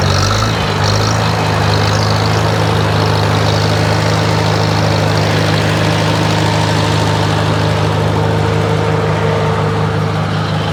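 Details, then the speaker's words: 1947 Farmall A tractor running with the PTO engaged for a light load after a switch left on overnight drained the battery; only the switch burned, and the coil now stays barely warm. Steady, even low thump, no misses or knocks: normal running under PTO load. "Go on. Give it a little load. See how it stays running."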